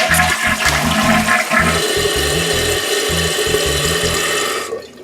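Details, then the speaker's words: Toilet after Fluidmaster fill valve and flapper install, water level raised about a quarter inch: strong flush rush then steady even refill hiss with no dripping or running; normal flush and refill. "so let's go ahead and flush it and by flushing it it will refill the tank and then we can see where our new water level is"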